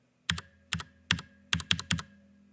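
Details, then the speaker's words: Stock factory-lubed Cherry MX Brown switch on a Drop ALT low-profile keyboard: six crisp keystrokes, each with a thin metallic ring, plastic rubbing and a loose-fit rattle; unlubricated switch spring ping. "can hear the spring ringing you can hear the plastic rubbing on the plastic and you can hear the switch sort of rattling because it's not it's not a really snug fit with the board"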